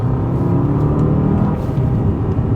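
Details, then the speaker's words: Mercedes CLK 55 AMG, about 35,963 miles, after gearbox rebuild, on road test using paddles through fourth, third, second; engine rumble rises and settles smoothly on each downshift with no clunk or flare. "it's driving really smooth gear shift is good which you'd expect it to be well it was last time as well to be fair"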